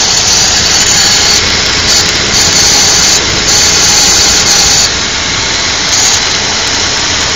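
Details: 2002 Infiniti QX4 idling after a cold-weather startup; harsh hissy rasping noise swelling and easing irregularly, intermittent and lasting about 10 minutes after startup.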